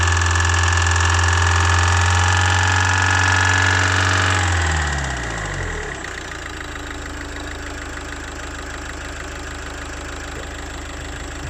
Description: When you give gas it make rattling noise